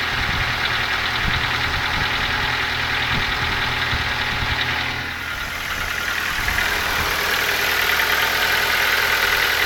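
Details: Ford Focus 2 engine at idle with a sharp, fairly regular knock about three times a second over the engine hum; origin unknown.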